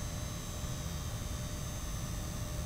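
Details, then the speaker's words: Gigabyte RX 6950 XT graphics card under load, even after power supply replacement: faint high-pitched whine with crackly ticking buzz over quiet fan hiss; coil whine, alongside low power draw and very hot backplate. "with a new power supply it still sounds like a geiger counter near the elephant's foot"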